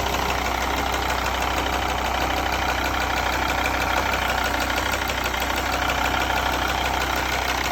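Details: Mercedes ML 270 OM612.963 diesel idling: even injector ticking, considered normal, with a duller irregular bang underneath about three times a second that is abnormal; cause not yet traced.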